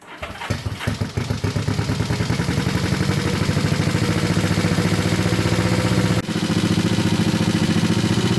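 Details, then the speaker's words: Honda CB350 basket-case rebuild, first start after final assembly, choke just turned off: fast even idle with dry metallic ticking/pinging over the exhaust beat, suspected valves or cam chain, maybe easing once oil pressure builds. "they kind of got they kind of have a pinging noise oh I turned the choke off that pinging noise I'm hearing is in the valves or the chain up there or something maybe it'll go away when it gets a little oil pressure built up"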